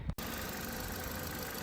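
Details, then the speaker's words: 2014 Toyota Corolla LE, 1.8 2ZR-FE, just restarted after an open wire in the throttle actuator circuit (P2118) was repaired with a heat-shrink butt connector; now idling fairly low with a quiet, steady hum, no misses or knocks. Normal idle. "Anyway, she's idling fairly low."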